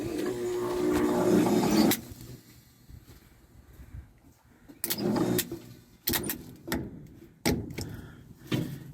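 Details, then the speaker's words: 1961 Chevy dump truck whose battery would barely accept a charge: a couple of lights come on and the starter hums steadily but the engine never cranks. The starter is stuck from a dead or low battery, so the battery will be replaced. "we got a couple lights and she tries you can hear the starter"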